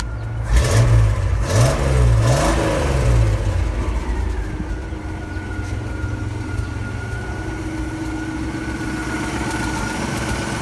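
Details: Ford F-series highboy truck with a freshly fitted V8 and gearbox, replacing the old engine that threw rings and leaked oil: a few throttle blips, then a fairly steady idle with a faint belt whine; runs fine, carb and timing still need tuning.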